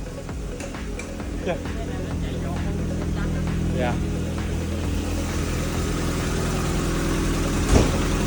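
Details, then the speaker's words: Mazda Miata after the misfire fix, spark plug wires put back in correct order; catches and settles into a steady, even idle, no misfire or knock; normal running. "the problem was actually simpler than I thought the wires were placed in the wrong order my dad actually fixed a car for me when I wasn't at home and here's the video of it starting [Music] [Music] up it works"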